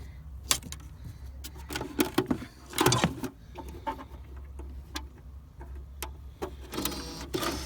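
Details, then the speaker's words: BMW Mini R50/R52 CD changer just plugged in under the boot floor: low hum with scattered mechanical clicks and whirs as it powers up and cycles through discs; normal. "as you can hear the cd changes powered up it's now cycling through"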